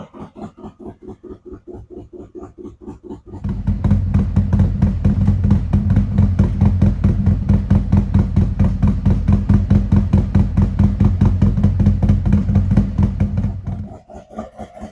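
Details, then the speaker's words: 2017 Harley-Davidson Ultra Limited 107 V-twin just fitted with Thundermax ECM and O2 sensors, settling after startup: even, loping idle with steady low thump, no misses, tone improving as it warms up. "You'll notice as the temperature goes up, it starts acting a little bit better. hear the tone of the engine changing as it warms up"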